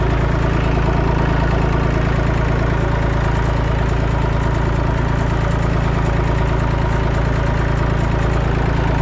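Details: Massey Ferguson 245 three-cylinder diesel tractor revived after sitting 12+ years with what looks like a burnt, melted radiator. It is being driven to the barn and gives a steady, even low chug of about 200 beats a minute with no misses or knocks: normal running.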